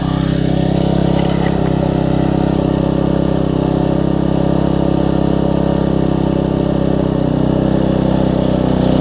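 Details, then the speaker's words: Troy-Bilt Tuffy rear-tine tiller, 4 hp Briggs single, after fitting replacement carburetor with linkage and spacer, quarter tank of gas: steady, even putter holding constant speed, no misses, surging or hunting; normal running after repair. "so the first thing we'll start if it starts I'll be very happy as you can hear that's better let's pull through"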